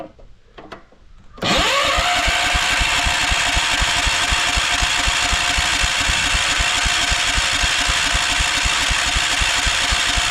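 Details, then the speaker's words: 1968 John Deere 140 garden tractor on choke, started from a weak jump pack: slow, laboured cranking about four compressions a second with no firing as the pack dies; won't start. "His pack's probably dead. See? Yep. Let's see here. All right. So, that pack just died. That wasn't very charged."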